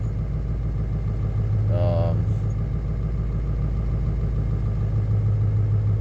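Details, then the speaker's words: Ford 7.3 Powerstroke diesel idling just after a cold start at about 50°F, following new glow plug relay and harness reconnection: deep steady clatter, slightly rough but acceptable. "motor doesn't sound the greatest but I don't think it sounds too bad I've heard some Motors that um sound like they're running on six cylinders"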